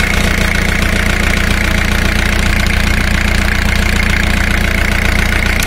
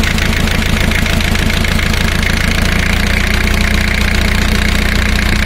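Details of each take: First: Diesel engine at idle during cylinder power balance test, high-pressure fuel line to cylinder one disconnected, measured with a digital tachometer: even clatter turns lumpy and slows; rpm drop shows that cylinder contributing power. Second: Diesel engine at idle during cylinder power balance test, before disconnecting injector high-pressure lines: chugging idle, lumpy at first, then settling into a steadier, even beat; normal idle.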